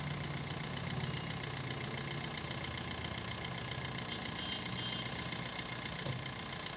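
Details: Maruti Suzuki Swift VDI diesel idling after the dried-out AC compressor bearing, source of a grinder-like noise, was replaced: even clatter, no whine or rattle on top; noise gone, healthy.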